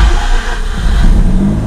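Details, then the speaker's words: Mazda RX-8 rotary, first start in neutral after a transmission replacement: fires into a quick, busy cold idle with a deep, even exhaust note and no harsh rasp. Much quieter than before, a normal cold start. "Much quieter."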